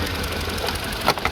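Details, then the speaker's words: Mini (BMW N12 engine), six-speed, 102,000 miles: lumpy, uneven idle that shakes the car, beat stumbling every few firings; misfire on three cylinders despite changed coil pack and spark plugs, low compression. "That's not me shaking the camera. That's the car. Unfortunately, what we've got here is a very poorly engine, as you can probably see."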